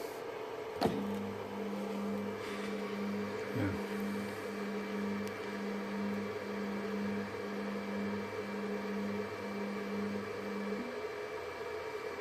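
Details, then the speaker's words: Stepper-driven X axis of a G0704 mill CNC conversion with stock lead screws: short even hum bursts about once a second and a dull thud on reversal as about nine thousandths of backlash is taken up. "you hear that thud that's the backlash that's nine thousandths of backlash yep becomes a big thud"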